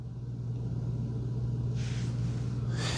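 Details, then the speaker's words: Roomba Combo 505 AutoWash dock pad-dryer blower running after the pad wash; soft, even low hum, barely audible, no rattles, normal quiet operation. "So, it the pad is done washing and now it turned on the the blower. Very quiet. Awesome. That's excellent. I can hear it, but I can barely hear it."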